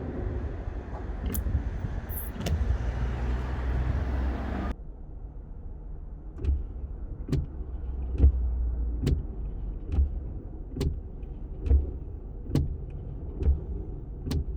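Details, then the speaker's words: After cleaning and lubricating wiper blades, grooves and hinges with WD-40 silicone spray, wipers sweep steadily about every two seconds with a soft swish, no squeal or chatter; one slight squeak heard; normal wiper operation. "sounds so much better than before i did hear one art squeak but guys it's done the job for me"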